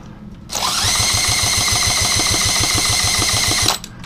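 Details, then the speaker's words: Rebuilt Honda Z50 monkey bike with a new top end and new valves, possibly a too-long piston fitted, cranked on starting fluid: steady starter whir and compression beats, but it never fires; owner questions whether there is spark, cause unconfirmed. "we got some starting fluid we got spark let's just hear I just want to hear it pop nothing why won't this thing Spark I just don't understand it"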